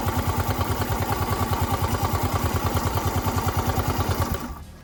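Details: Suzuki Access 125 scooter: steady small single-cylinder idle, about three beats a second, no grinding or rattle, then shuts off; healthy.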